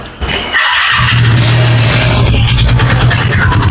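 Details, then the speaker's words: TVS Ntorq scooter, engine running, noise from engine side: steady low rumble with buzzy edge; cause found to be a loose nut that came off by hand. "നമുക്ക് ഈ വണ്ടിയുടെ നമുക്ക് ഇതിന്റെ net loose ആയിട്ടുണ്ട് ഈ ഒരു നെട്ടിന്റെ പ്രശ്നമാണ് ഈ ഒരു സൗണ്ട് വരുന്നത്"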